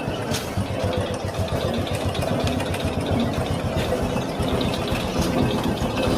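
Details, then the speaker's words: Honda Supra X 125 motorcycle at idle: busy metallic rattle and rough scraping from inside the clutch cover, louder and harsher when ridden; suspected clutch housing or clutch bell fault before teardown. "nah seperti itu ya bunyinya ya teman-teman seperti bunyi krucuk di itu kendalanya dibawa jalan itu semakin dasar bunyinya"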